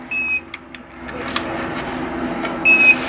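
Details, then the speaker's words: Electric motor (mixed-series winding) connected to its controller: two short high-pitched beeps about 2.5 s apart over a quiet hum, the controller beeping because it does not detect the hall sensors rather than the motor. "qué Pita la controladora porque no detecta no tanto el motor sino los sensores"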